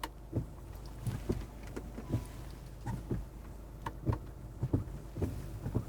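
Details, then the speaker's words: Mercedes-Benz wiper heard from inside the cabin in fairly heavy rain after hand-adjusting the blade link arm pressure: soft regular swishes about every second, no chatter or squeal; much quieter and smooth. "어때요? 훨씬 조용하죠? 이 상태에서 당연히 워셔액을 뿌리면 정말 부드러운 건 사실이에요."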